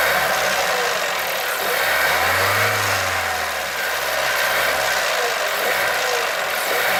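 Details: 1.2 TSI engine while revving up and releasing throttle: revs rise and fall with an irregular knocking over the engine note through the rev change; cause unknown.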